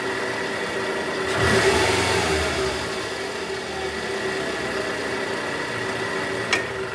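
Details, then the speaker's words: Toyota Estima 2AZ-FE after fixing a worn, loose balancer shaft, AC on and in gear: engine idles and blips up evenly with a steady whir, no rough diesel-like rattle left; smooth, normal running. "Udah nggak kasar lagi ya, suara mesinnya udah halus sekarang, udah nggak kayak mesin diesel."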